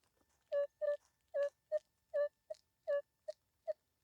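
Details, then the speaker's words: Minelab Equinox in Park 2 with F2 at 7 swept over a bottle cap: about nine mid-pitch tones, later ones short and choppy, so the cap signal is only partly suppressed. "So it kind of knocks it out, but somebody might dig that."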